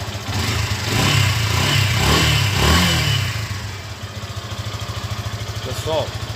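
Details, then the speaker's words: Yamaha FZ15 motorcycle with a cold engine: revs climb smoothly under throttle and drop back to a steady, even idle with no rattling or chain slap; normal engine revving. "Eu vou acelerar ela. Vou dar uma acelerada nela aqui. Pega a visão no barulho do motor"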